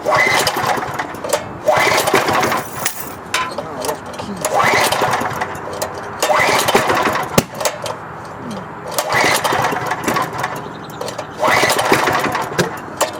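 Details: Auction-bought wood chipper engine that wasn't getting fuel, with a little gasoline squirted down the plug hole: repeated pull-start bursts every couple of seconds with sharp pops mixed in. It backfires and refuses to catch.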